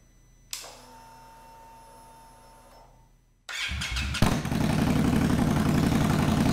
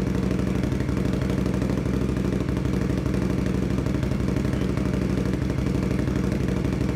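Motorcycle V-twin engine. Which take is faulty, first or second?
first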